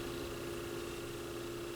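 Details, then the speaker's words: Technics SL-B5 stacker turntable, plugged in at 33 rpm with belt not yet fitted, no melted belt, good motor torque: faint steady mid-pitched hum under light hiss, no tapping; slight motor noise, cause unclear. "a little bit of motor sound and that is likely in an earlier video there's a little piece of plastic but that's not tapping like the other one I don't know how noticeable that would actually be but there is a little bit of noise"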